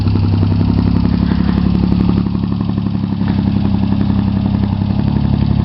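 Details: Chevy Sprint turbo 1.0 L three-cylinder after top-end rebuild with Saab 9-3 turbo and straight pipe with two cherry bombs: steady, even idle with firm regular low pulses and no knocks or rattles, normal idle.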